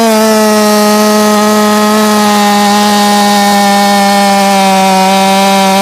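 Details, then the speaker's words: Jonsered 2156 C chainsaw at full throttle: a steady high scream that drops to about 11,500–11,600 rpm from about 13,600 and gains nothing after fuel adjustments. Owner suspects a limited coil. RPM limited at full throttle. "didn't gain anything in RPM that time same thing getting down about 115 116"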